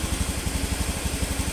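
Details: Honda Beat FI (Beat ESP New) scooter idling after piston replacement; before, stuck oil and second compression rings caused oil loss and harsh noise at the front of the head at 4000–5000 rpm. Now steady even idle, nine to ten pulses a second, no knock, healthy.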